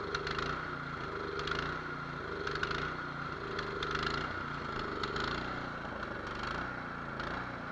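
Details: Nearly new, unused Cub Cadet 824 two-stage snow blower, 208cc, brought in as a no-start, started on choke: idle hunting up and down about once a second. Surging from a clogged idle jet, to be cleaned or drilled out.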